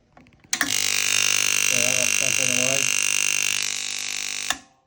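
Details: Ulka EP5 vibration pump from a Quickmill 3050 espresso machine that had no pressure or flow, bench-run in hand after replacing an over-thick 2mm washer suspected of pinching it: loud steady buzzing hum with fine high whine; pump works.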